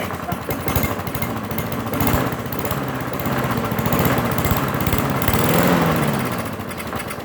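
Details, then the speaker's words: Mower that sat unused for four years, first start: uneven, lumpy chugging surging and sagging about four beats a second, smoking heavily; rough running after long storage. "first starting point right now to fuel first start in four years she smokes more than miley cyrus on the weed shop"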